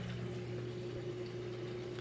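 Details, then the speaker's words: Maytag top-load washer, drain phase after wash, before rinse: steady low pump hum with constant pitch and even rushing water as it empties fast; normal draining. "Alright, now the drain is kicked on. Just draining out that water nice and fast."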